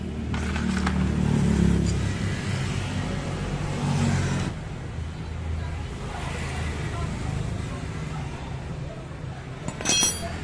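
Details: Honda Beat eSP scooter CVT after repair of a rattling noise: steady low drone from belt drive with no rattle or clatter; transmission sounds quiet and sound.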